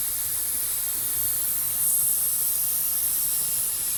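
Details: 45-year-old Vauxhall Royale coupé, rebuilt 2.8 L engine on first test drive: steady, loud high hiss like escaping steam over a faint low engine note. Owner suspects overheating and the cooling system pressurizing; not confirmed.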